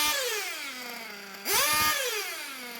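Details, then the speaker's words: RC nitro engine being tuned from a rich setting, high-speed needle adjusted first and idle lowered; high buzzing idle sagging steadily in pitch, a short rev that won't rev up and slow fall; low-speed needle too rich, needs leaning. "adjusting high speed needle first lowering idle a bit it's not really revving up idle is dropping if i lean out the low spinning"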